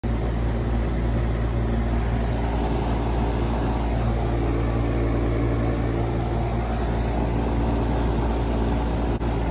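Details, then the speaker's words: Carrier HVAC compressor found not running, ohmed out fine, capacitor checked and hard start kit added: loud steady low hum for ten seconds with no start; compressor mechanically failed. "The compressor would not start. Y'all hear that? I think this compressor is shot."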